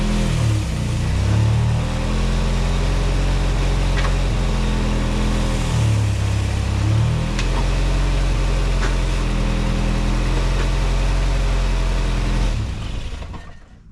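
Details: 1987 VW MK2 Jetta after a 3-speed automatic to 5-speed manual swap, garage gear test: smooth, steady idle with brief dips as load comes on and off, picking straight back up; engine and new drivetrain sound healthy.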